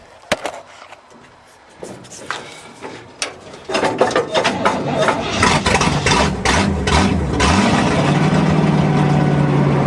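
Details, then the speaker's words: 1963 Allis-Chalmers loader with 1978 Monte Carlo 305 V8, first run after 5.5 years, battery clamped with vice grips: sharp clicks, then uneven cold rumble steadying into rough continuous idle; "still a bit cold", everything working good; cold idle. "Oops. Still a bit cold. Not a problem. Smells like a big block. Everything's working good."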